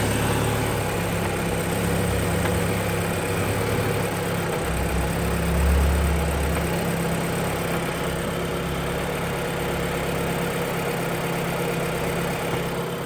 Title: Audi S3 8P1 knocking noise on cold start